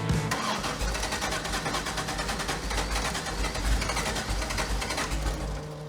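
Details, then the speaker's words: Kraftwerks/Porsche 917 race car with freshly rebuilt PMO carburetors: idle throttle stops opened a quarter turn, the engine cranks with rapid chatter and wants to start but won't fire; too little throttle opening, another 1/8 turn is needed. "All right, so what that tells us, it did want to start there, and that's okay, because a quarter turn was not quite enough."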